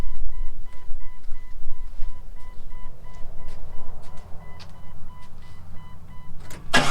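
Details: Jeep XJ at idle: low, heavy uneven knocking about two to three a second under a door chime, seemingly from the bottom end; engine knock, cause suspected not confirmed.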